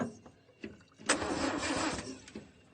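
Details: Land Rover Series 2A left sitting several years in a paddock: about one second of cranking between quiet gaps with no firing, crank no start, while struggling to get fuel into the carburettor bowl, fuel tank issues suspected.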